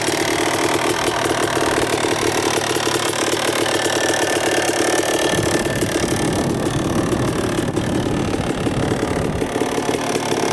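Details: 2000 Suzuki RM250 two-stroke on first test ride after pipe fix, carb clean, new oil, fresh gas: busy crackle holding steady and picking up cleanly with throttle, no misfire or bogging; running great in first gear.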